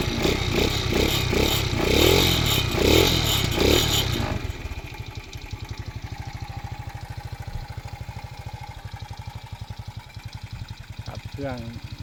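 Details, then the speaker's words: Original-engine, no-hand-clutch small single motorcycle (Gorilla): after a few seconds of rough kick-start revving it settles into an even, steady putter; seller says the engine is quiet, smooth and normally starts first kick. "ขี่สบายๆเครื่องดีครับเครื่องดีเครื่องเงียบเครื่องนิ่มนะครับ"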